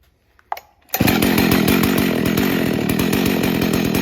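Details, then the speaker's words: Husqvarna 61 Rancher chainsaw, run on 40:1 mix, after a slight idle screw adjustment: catches after a couple of pulls and settles into steady, crisp idle with even popping; idle now sounds right. "That sounds better."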